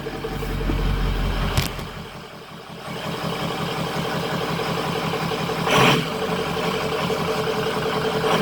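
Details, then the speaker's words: 2003 Ford F350 Super Duty 6.0 Power Stroke diesel after refitting the missing oil filter housing anti-drainback valve, which had caused 5–10 psi oil pressure (now near 70 psi): even, low idle clatter, a couple of brief bumps, no knocks or misses; healthy. "So as you can see, it sounds pretty good, and so that's the only thing that was wrong with it, was that little part right there."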